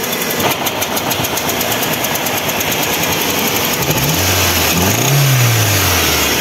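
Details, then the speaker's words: Overheated Ford Zetec Rocam 1.6 8V with water in the oil after a burst hose: a lumpy, unstable idle with a metallic edge, running like two or three cylinders, low power and stalling on throttle; a broken piston and blown head gasket. "Bueno ahí podemos apreciar que el motor arranca la llave pero se siente inestable"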